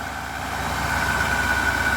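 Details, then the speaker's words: Capri XR2 after repair, now firing on all four cylinders instead of three, earlier top-end noise gone: even, steady idle with a regular low pulse and no shake or stumble. Revs much better; normal idle. "Just revs so much better. Let's find out. Look at that. Before it used to like obviously shake, now it's nice and smooth."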